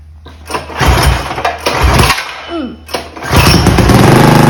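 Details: Mega Moto 212 mini bike, modified Predator Hemi engine, after Mikuni carburetor idle tuning: small single coughs, then catches and settles into a quick even putter without dying; running normally.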